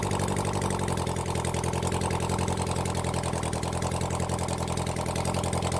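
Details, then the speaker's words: Honda CB400 Four engine on a bench run after reassembly and tappet setting, started with the choke closed after carb flooding: even, steady four-cylinder idle with a smooth regular beat, no knocks or misses; sounds good before carb balancing. "all right it sounds good when I get my car balances set that up then we'll try balance the cars"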